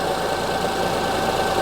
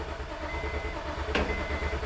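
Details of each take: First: 2005 Honda Odyssey with flashing check engine light, misfire codes, severe shaking, idling during ignition secondary waveform checks: dense uneven lumpy chuffing idle with faint shake, one cylinder dropping out; misfire. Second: 2005 Honda Odyssey V6 with shaking, power loss and misfire codes, cranking during relative compression test: quick even starter rhythm, every compression pulse alike, waveform peaks equal; no mechanical problem, normal cranking.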